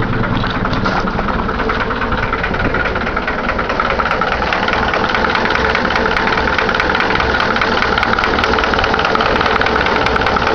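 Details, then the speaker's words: Cold first start of the day on an old Caravan/Cargo 76 engine; a fairly quick, uneven tapping knock of about two to three per second at idle, cause not yet identified. "Fala galera, fazer um vídeo aqui mostrando um barulho estranho que tá no motor da minha Cargo 76."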